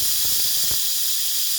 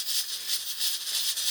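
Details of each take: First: Six or eight quart stovetop pressure cooker, burner off and pulled aside after about an hour of cooking, pressure released slowly: strong, steady hiss of steam venting for about two seconds, then cutting off cleanly. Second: Pressure cooker with a rocker weight and about two cups of water: fierce hissing chuffs about four a second as the weight dances hard; the heat is too high and the pressure is overbuilding toward the blow-off valve.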